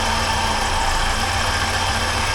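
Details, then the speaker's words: 1980 Triumph TR7 engine running, heard through a mechanic's stethoscope, alternator having had new bearings fitted: faint continuous whir and high rasp over the idle, lots of noise there; valve area quiet; bearing noise, worn alternator bearing suspected. "and you can hear lots of noise out of that up here"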